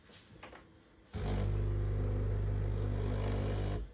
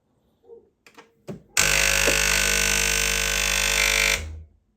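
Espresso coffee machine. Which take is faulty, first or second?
second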